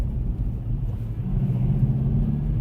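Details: Kia K3 GT gasoline turbo in comfort or sport mode at low RPM: steady low buzzy diesel-like drone from the electronic sound generator (ESG) artificial engine sound, not mechanical; worse in sport mode, cannot be switched off.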